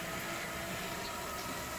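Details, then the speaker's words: Headhunter X-caliber 12/24 V DC variable-speed boat water pump, repaired with donor-pump parts, bench test in the shop: even motor hum over rushing water, smooth with no rattle or grinding; running quiet and pumping normally. "Okay, it's running. And it's quiet. And it's pumping."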